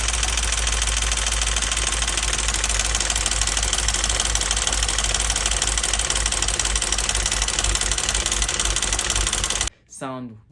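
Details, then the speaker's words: Auction-bought Audi S5 V8 with coolant in the oil and in the intake, likely needing a head gasket. A dense ticking of about 4 per second over a rough-running engine; suspected lifters and a cam-driven high-pressure fuel pump running dry, not confirmed. "very familiar like as if like the lifters was running dry and the high pressure fuel pump was running dry"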